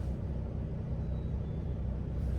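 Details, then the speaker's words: Land Rover Discovery 2 blower motor at low speed, suspected to be full of debris: a soft, even hum with no rattles; fine at low speed, though it resonates at high speed. "so I'll let you guys hear what my blower motor sounds like right now on low speeds it's fine"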